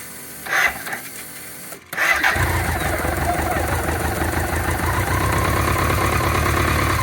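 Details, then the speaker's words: 1985 BMW K100 that sat six years after fire damage, first start after a fuel injection relay fix: engine catches after a couple of cranking bursts and settles into a slightly uneven idle, so the throttle likely needs adjusting. "Not bad. Looks like I might have to adjust the throttle."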